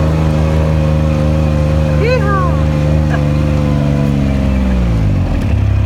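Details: Kubota RTV900 diesel utility vehicle, after hydrostatic transmission repair (charge pump, brass wear plates, relief valve, filters, oil), on a very steep hill climb. Strong diesel drone holding pitch under load then easing smoothly, no strain; normal hydrostatic drive under load.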